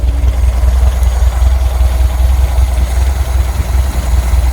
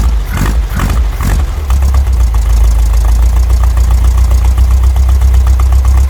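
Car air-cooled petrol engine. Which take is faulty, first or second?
second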